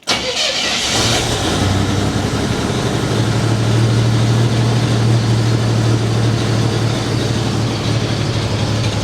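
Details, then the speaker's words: 1987 Buick Grand National that normally won't stay running when cold, first start after a new mass airflow sensor, turbo hoses and coolant temp sensor: uneven, lumpy idle with a possible intake backfire; it runs rough, MAF setup suspected. "It's not happy at all. Okay. I'll say this. It ran. Not only did it run, but it didn't die. It's running poorly."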